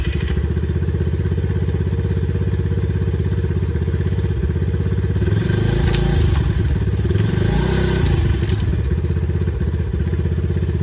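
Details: Approximately 2009 Eton Viper 70 four-stroke 70cc ATV, choke off: small single-cylinder engine starts right up and settles into a steady, even thump with no knocks or misses. It needs a battery connected for the CDI circuit to keep running.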